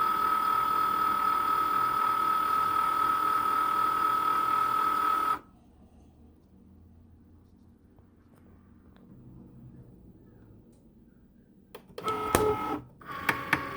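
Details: Cricut Maker motor whirrs with rapid even clicking about four per second while cutting, then stops dead; not cutting or writing properly, calibration fails as the sensor can't detect lines, carrier way off center, stopped cutting at 63%.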